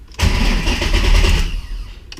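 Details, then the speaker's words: 2006 Mustang with Coyote swap and reinstalled T56, first crank with fuel pump relay pulled, clutch in, neutral: short, even one-second crank, spins freely with no binding or scraping, no firing; normal cranking. "all right it's definitely spinning so that's good"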